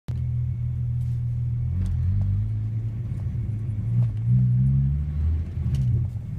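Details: MK3 Jetta VR6 with deep rough idle wavering and stumbling unevenly; suspected vacuum issue persists after new PCV valve, repaired vacuum hose, plugged brake booster vent, new charcoal canister and Seafoam.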